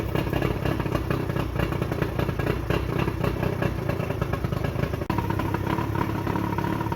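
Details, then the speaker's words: Johnson short-shaft 40 hp outboard, believed 1987, first start after repairs on water hose, slight throttle and prime; fires right up into a steady, even two-stroke buzz with no knocks or skips; normal running. "A little bit of prime, and let's see what happens. Well, that fired right up."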